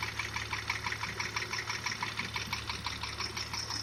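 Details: Porsche Macan engine at 74,000 km with high oil consumption, idling: steady knock about twice a second over the engine note. A borescope inspection found cylinder wall scoring, consistent with piston slap.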